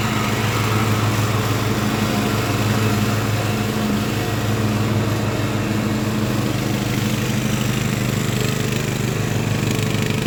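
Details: Craftsman LT1000 riding mower after Briggs & Stratton engine swap, warmed up, test mowing tall grass with unsharpened used blades: steady, even drone holding speed with blade whir behind, no misses or knocks; healthy.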